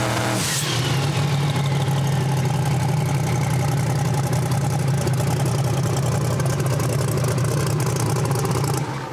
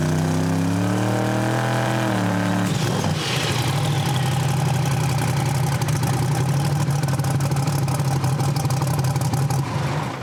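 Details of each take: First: Turbocharged drag car at full throttle on the two-step, after switching to a normal-weather tune from a lean hot-weather tune that made it sneeze: even, loud crackle that builds boost cleanly with no stumble. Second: Drag car engine leaned out in good air on the 2-step launch limiter after much fuel was removed; steady rough drone after a rev, won't come up, sneezes twice; misfire on launch.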